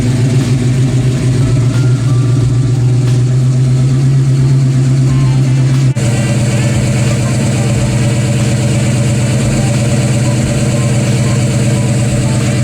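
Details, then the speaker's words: Ford Fox Body Mustang 302 V8 after GT40 heads, intake and B303 cam swap: deep, loping idle with uneven chop and strong low rumble; different than before, healthy big-cam idle, running clean. "it didn't sound like this before Oh man oh crazy difference real what the yeah I'm not even I'm not even like hitting the the throttle"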